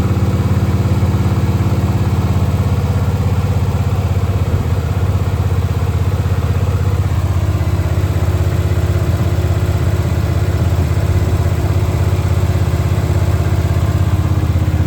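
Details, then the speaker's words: Monte Carlo SS G-body V8, first fire-up after an engine rebuild with no cam, new battery cables and about 300 horsepower: it catches quickly and settles into a deep, steady, even lope with no knocks or ticks; a normal, healthy idle. "The car it fires right up I'm talking about a man and it sounds great. Sounds good don't have a cam in it."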